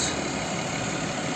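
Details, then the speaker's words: Audi Q7 3.6 FSI VR6 after repair of suspected timing chain rattle: steady, quiet idle with a smooth low hum and no knocking or chain rattle, only a slight muffler hiss. "ребята Как видите машина стоит уже стоит заведенная двигатель работает тихо слышно только как сифонит один глушитель где-то такой что-то пропускать это ну а так берите работает очень тихо"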